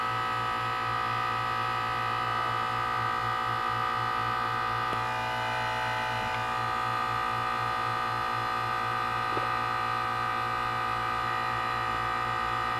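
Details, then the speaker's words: 12-year-old 2004 Carrier 10 SEER 3-ton heat pump outside a gym, frozen over in cold, humid weather: steady, even electrical buzz and hum during a normal defrost cycle, switching back to heat mode while releasing steam. "cold and humid perfect recipe for a steam show and there we go back into heat mode and there's all the steam and again"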